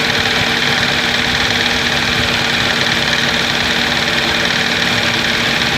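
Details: Engine noise of unknown source and location at idle; engine doesn't misfire, starts and idles well. A loose, uneven light tapping about 160 a minute sits over a steady idle hum.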